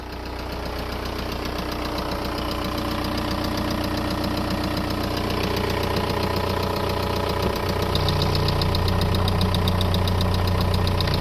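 Diesel idling with a steady, fairly even knock around two and a half per second over the clatter; source of the knock unknown.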